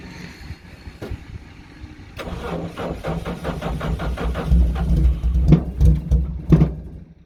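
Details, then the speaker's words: Racing car cold-started on key in neutral after sitting unstarted since 2017; catches and runs in uneven lumpy pulses, two or three a second, idle not settling — rough idle from long storage. "ആ ഒരു call start ചെയ്ത്, അതായത് ഇത്രയും കാലം വണ്ടി ആ സ്റ്റാർട്ടാവാതെ നിന്നതിൻ്റെ ഒരു fairing പോലെയൊക്കെയാണ് കാണിക്കുന്നത് വണ്ടി."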